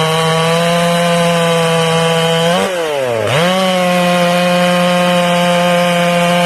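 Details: Ported Stihl MS461 chainsaw, not broken in, after turning the high jet back from too rich; high steady two-stroke scream that bogs briefly in the cut then recovers cleanly with no burbling, running clean.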